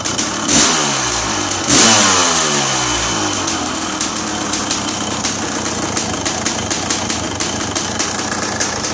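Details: 550 running after an exhaust leak repair, after the bolt fell out and everything was resealed: two throttle blips, then a steady, even idle with crisp exhaust pulses and no ticking or puffing. Normal running.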